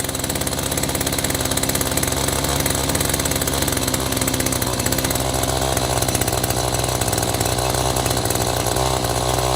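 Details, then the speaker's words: Echo GT-200 two-stroke trimmer with an aftermarket carburetor, choke off: buzzes at a high steady speed instead of a slow idle, enough that the head spins. Idle speed too high. "Okay, we got to slow it down a bit as the head's spinning."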